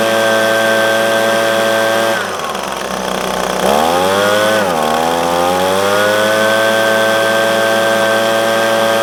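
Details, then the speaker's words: Echo PB250LN handheld two-stroke blower, warm, after new air filter, fuel filter and spark plug to cure bogging at operating temperature: steady high-rev full-throttle buzz, brief dip then clean recovery; normal full-throttle run. "after doing the air filter the fuel filter and the spark plug I have alleviated my problem"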